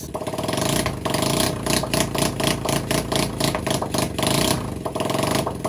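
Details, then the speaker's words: Rusty Raider 150 motorcycle being restored, first running before exhaust is installed: loud, open crackling bark surging with throttle blips; engine runs fine, just no exhaust pipe yet (new TRC power pipe next). "Dahil umaandar na, isikakabit na natin yung tambutso para hindi masyadong maingay dahil nakakabulahaw yung ingay ng motor."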